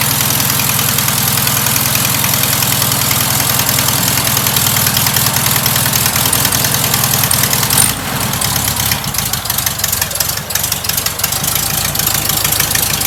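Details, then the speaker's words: Rebuilt air-cooled VW flat-four, once a sidewalk engine: even, steady idle with a rapid regular beat and a bright, raspy exhaust from a noisy muffler; the motor itself is quiet and runs smoothly; normal idle. "Like I said, the muffler's a little noisy, but the motor's nice and quiet."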